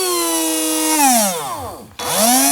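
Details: DC motor driven by a VNH2SP30-E dual H-bridge board at variable speed: a smooth motor whine winds down to a stop, then climbs back up in the other direction, running cleanly both ways.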